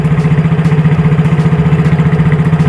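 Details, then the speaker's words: Yamaha Mio J scooter after cylinder block/piston replacement, previously noisy and smoking: even low putter at idle, steady, no knocks or rattles; clean like new, slight left-side noise from a somewhat loose cam chain noted. "tuh teman-teman suaranya bersih kayak motor baru ya padahal yang kita ganti di sini hanya bloknya saja teman-teman"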